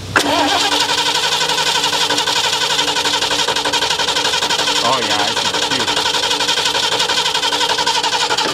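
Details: 1977 Ford Quadravan being revived after 19 years sitting, new fuel pump and rebuilt carb: starter whirs steadily at about four turns a second but never catches.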